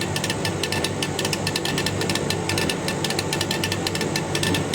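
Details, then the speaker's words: Chinese laser etching glass at 40% power, about 60 W, very slow speed: quick clusters of sharp ticking pulses over a steady machine hum; normal pulsed engraving. "speed so we can when the four goes in you can hear it's pulsing can you hear the bar of that"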